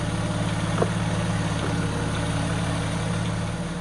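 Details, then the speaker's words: 2000 VW Eurovan VR6 petrol engine after replacing all fuel injectors, spark plugs and wires following a failed injector: steady, even low idle hum, no stumble or misfire, no check engine light. "uh there's no more misfiring from that uh dead fuel injector uh you can see sounds good it's running"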